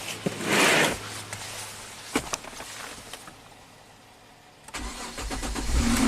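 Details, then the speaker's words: 2005 Kia Sorento 4x4 that hadn't run in about a month, after clearing codes: short crank, then catches and settles to a smooth, even idle; normal start and idle after repair. "Woohoo! Victory. Hasn't run in about a month."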